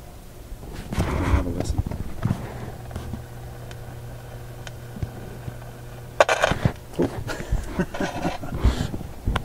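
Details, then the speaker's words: Westinghouse 1398 AM/SW/FM tube radio, first power-up with power raised from about 75 V, B+ near 198 V, no antenna: a steady low mains hum with irregular crackling static. Possibly a loose tube connection; suspected. "okay this is going to jump up the B plus voltage quite a bit don't like the static much hearing a home now"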